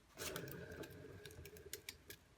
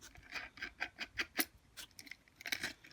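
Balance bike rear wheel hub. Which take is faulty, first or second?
second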